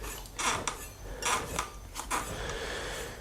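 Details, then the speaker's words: UrbanGo commuter eBike, front wheel reinstalled and spun; faint scraping swish once per wheel turn as the bent disc brake rotor rubs the pads; rotor still needs straightening. "So, this is back on, but you can hear the rotary kind of going ch."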